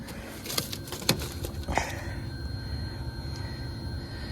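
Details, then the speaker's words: Fujitsu Halcyon mini-split outdoor unit in heat mode after repairing a compressor motor control error (9 green, 5 amber blinks) with a new connector: a few clunks settle into a steady low hum with a faint high tone; compressor running normally. "let's see okay we are spinning here"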